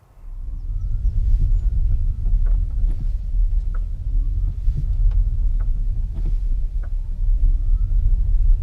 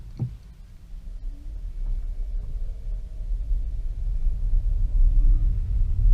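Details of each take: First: 2015 Nissan Leaf on the road: sharp clicks from the front axle over road rumble when moving from coasting or regen onto throttle or back into regen, especially on the flat; caused by a loose hub nut and a dry stub axle letting the driveshaft shift. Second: 2015 Nissan Leaf 684 miles after fixing a front-axle click by lubricating the stub axle and securing the hub nut; in regen mode on a wet, muddy road, only smooth road rumble under acceleration and deceleration: normal front driveshaft, no click.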